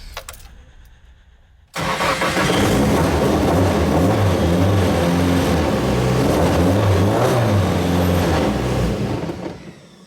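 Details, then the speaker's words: Nissan S13 drift car, freshly rebuilt engine first start after coolant temperature sensor reconnected, cam gear advanced, ignition timing not yet set: cranks, catches, slightly uneven idle but mechanically clean, no knocks; sounds healthy. "And now she basically starts. I haven't got the timing right, so it doesn't idle very well, but you can very clearly tell she sounds healthy."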